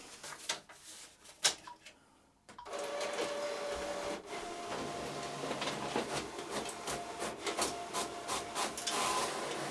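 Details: An Epson EcoTank ET-16600 A3 automatic document feeder, after a repair that fixed grinding and jamming caused by one small gear, feeds sheets with an even roller whirr and light regular ticking. There is no grinding or clatter; it is working normally.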